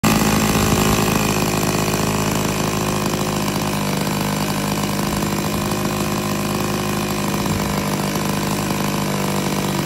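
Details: Turnigy T-21 gas engine on a Hangar 9 Super Cub 15cc, run-up after an idle screw fix: steady high-revving two-stroke buzz, even and clean with no surging or stumbling; running properly.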